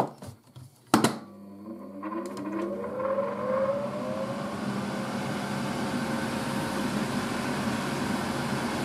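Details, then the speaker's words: 1980s Tefal Spinmaster spin dryer (made in France by Calor, 2,200 rpm max), empty drum: a click, then a smooth motor hum climbing steadily in pitch as it spins up and settles into an even run; normal run-up. "i'm going to just show you how the motor sounds on this thing it's got a very nice sounding mower ready"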